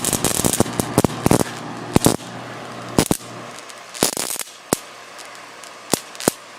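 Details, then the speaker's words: Outdoor bug zapper tested after a hard winter, its cage rusting: sharp, irregular cracks and snaps over a faint steady mains hum as it arcs, so the zapper still works normally. "I don't know if you can see the sparks, but yep, she works still. Excellent."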